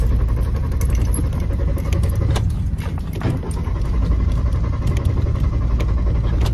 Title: Car Won’t Start 🥺 Broken Down on Side of Road | Asmr Long Cranking Sounds | Oddly Satisfying